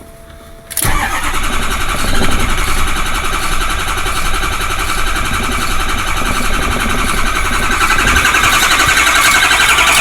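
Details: 2000s Ford 6.0L diesel truck that shut down on the road: cranks steadily with a harsh ratcheting rattle, never fires. FICM/PCM and relays tested good in another truck; HPOP and oil cooler replaced, EGR deleted, still no start; intermittent sync on scan gauge.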